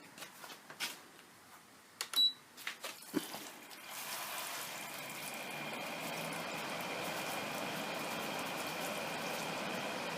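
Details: Haier air conditioner after shifting the fan for clearance: a few clicks at switch-on, then a soft, even fan whoosh with no rattle or scraping; rubbing noise fixed.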